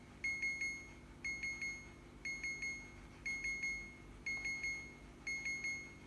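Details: Second-hand fridge alarm sounding continuously: bursts of about four quick high-pitched beeps repeating once a second in a quiet room, cause unknown, owner wants it switched off.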